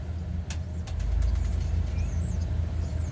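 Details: 1996 Ford, thought to be an F-250, with a 5.8 V8 at idle: a deep beat with an occasional stumble and dip, a light intermittent one-cylinder miss. It misfires while driving, shows no codes and no check-engine light, and the charging gauge drops on the miss. Cause unconfirmed.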